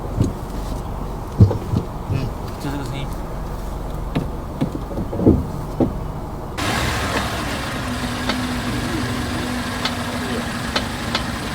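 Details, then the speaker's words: Mazda Atenza (Mazda6) jacked up, noise heard from underneath in gear: low rumble with scattered clunks, then a steady low groaning hum when the brakes are applied. Traced to the steering knuckle area; the dealer didn't fix it. "这个车的问题是刮到踩刹车异响啊。"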